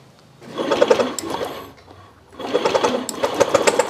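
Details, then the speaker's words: Fuel-injected motorcycle brought in dead: two bursts of fast starter churning, engine spins but never fires; spark faint, mechanic got shocked, plug cap leaking and to be replaced; weak spark no-start. "itu noh keluar kan memang samar itu loh noh keluar itu loh keluar ya oke mas bro bisa dipahami ini nanti copnya diganti"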